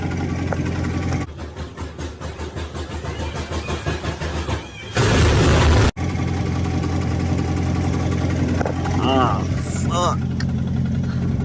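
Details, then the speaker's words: C7 Corvette V8 at idle, heard from underneath the car: steady idle with a hard, regular knock about four times a second. Owner suspects the transmission area at the rear; knocking at idle, cause unconfirmed. "I'm gonna get under here real quick see because I can hear it from under here I can hear something like knocking hard as [ __ ]"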